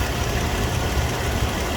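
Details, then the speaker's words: 2007 Toyota FJ Cruiser with 345,000 miles at idle: steady, even low rumble with no knocks, ticks or shake, no vibration, quiet lifters; sounds like a brand new engine, normal idle. "engine has no vibration at idle none wow that's Rock Solid absolutely Rock Solid no adverse noise sounds like a brand new engine as far as I'm concerned cows are very quiet lifters sound quiet and no problem"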